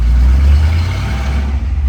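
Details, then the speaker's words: 1957 Ford Thunderbird, cold start after two pedal pumps: deep heavy V8 rumble catches easily and settles quickly, no tapping or misfire; runs well, temp gauge reading cold. "I'm dying to hear have you hear this baby start up it runs like a champ"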